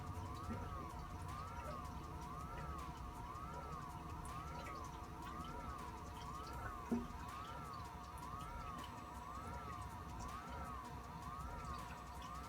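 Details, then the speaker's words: Maxspect Gyre XF 230 pump on a Red Sea Reefer 250 tank, in pulse mode ramping 10–50%: a motor whine rising and falling about once a second, noisier than the silent MP40. "I'll go ahead and crank the gyre back up. That's 70%, and it's got a distinct sound to it, I will say that."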